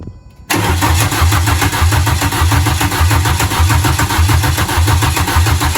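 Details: Renault Clio 172 with freshly installed engine, exhaust fitted and wired but no cooling system, first start after fuel pump hooked up and fuel added: brief quiet crank, then catches and settles into an even, throbbing idle with no misses.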